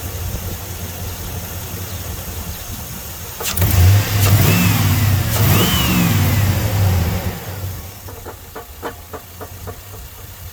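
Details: 2002 Chevy Silverado 5.3 V8, started on a jumper pack after the battery was dead: rough idle with a steady rapid knock nearly three a second plus sharp clicks; suspected broken crank, broken flywheel or loose torque converter bolts. Unconfirmed.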